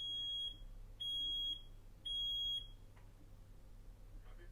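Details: Smoke alarm designed for a 9 V battery, self-test at normal supply before overvoltage testing: three loud shrill half-second beeps about a second apart, the usual test pattern of a working alarm.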